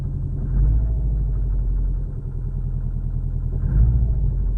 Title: More exhaust leak?